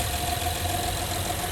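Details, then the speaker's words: 2013 Honda Pilot V6, started right after a thermostat change and coolant refill: smooth, even idle with a steady low hum and no knocks, ticks or misses; normal idle. "we're gonna start it up, and it starts right up. Okay, as it runs, make sure you check for any leaks."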